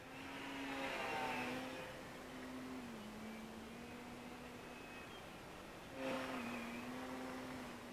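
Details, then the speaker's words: FMS Pitts electric RC plane after balancing prop and spinner and fixing loose parts, 6 mph wind, 48 degrees: clean electric motor tone rising and falling with throttle on pass, no buzz or flutter; noise gone, normal smooth flight. "Well, it looks like I got rid of that noise. That's good."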